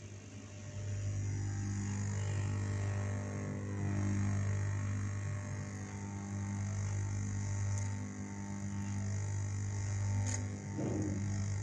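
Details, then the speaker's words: Amplifier with the mic volume turned up gives a loud, steady, low buzzing hum after the ground at the electrolytic capacitor's leg was removed. The owner blames unstable voltage from the MP3/USB module, meaning poor supply filtering. "I took it off for the ground, the ground at the foot of the Elco came out, a buzzing sound, friends, you can listen here, I'm wearing a"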